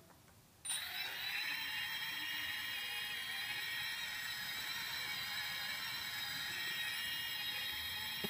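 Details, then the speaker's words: Multirotor on Afro Slim ESCs (SimonK firmware, also with BLHeli): high motor whine that warbles unsteadily. The two right motors oscillate; disabling motor four removes it. Cause unclear. "basically the two right Motors are the ones that have the oscillation let me just demonstrate"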